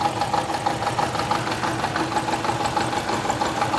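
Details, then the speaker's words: 2012 Toyota Camry petrol engine at idle with a severe misfire: a rough, uneven idle stumbling about three times a second; cylinders three and four were not working. "अ एक गाड़ी में missing बहुत ही अधिक तीन number पर चार number काम नहीं कर रहा था"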